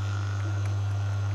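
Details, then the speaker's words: Logitech speaker driver fed a 100 Hz tone from a different amplifier: a steady low hum with a fuzzy, buzzy edge that cuts out when the cone is touched. Broken voice coil suspected. "yeah that doesn't sound good he how fuzzy that sounds if I just touch the cone sometimes just cuts right out I think we got a broken voice call in"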